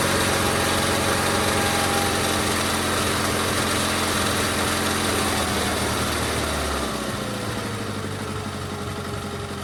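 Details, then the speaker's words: GT/18 twin after ignition rebuild: runs steady and even at fast rev then eases down smoothly, no misfire; runs better than before, carburetor still needs tuning. "Runs a lot better than it did, I think. After we tune it, she'll be good to go."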